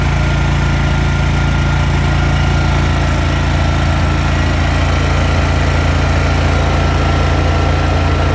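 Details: Lincoln Ranger 250 gas engine-driven welder after replacing all fuel lines (tank to pump, pump to carburetor, crankcase line) for a no-start: steady even idle, constant low drone, no stumbles or misses; runs cleanly.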